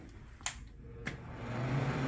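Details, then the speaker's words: Shop's own (Dristeem?) humidifier with float correctly adjusted by turning counterclockwise until it clicks: switch click, then low hum builds steadily as fan spins up smoothly when powered; normal fan operation. "now when I kick it on the fan should turn on now"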